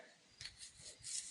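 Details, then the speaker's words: Shovelhead cam chest opened: bearing the cam part slides into, with slight play, spun by hand gives faint dry rasping in short bursts; rough and gritty, not just finger noise. Gritty bearing. "Almost sounds gritty. If the camera's microphone will pick that up. Sounds gritty. I don't like the sound of that."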